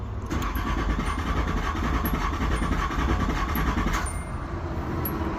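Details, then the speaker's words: Nissan Z31 cranking over with FuelTech ECU newly installed (fuel system rewired, intake manifold holes welded/blocked): steady, even cranking with regular low beat and no misses at good RPM; FuelTech reads crank signal fine, normal cranking. "So as you can see, the fuel tech is happy with the crank signal."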